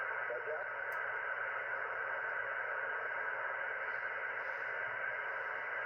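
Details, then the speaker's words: Ham radio receiver audio via SDR software: constant hiss and buzz with a steady hum underneath and no clear signal; strong local QRM interference, source unknown, possibly someone else's equipment. "Anyway, not a lot on the radio. I was on the radio earlier, but I didn't really see much going on other than local stuff on 80. But this noise on here is pretty bad."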